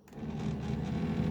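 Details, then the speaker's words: 1982 Mercedes 300SD passenger power seat, raise/lower motor. The small motor whirs freely at a steady pitch with no load, but the seat doesn't move because the drive cable has come off the motor; the gears also need lubrication. "hear that? It's not moving though. That is because the cable has become attached from the motor."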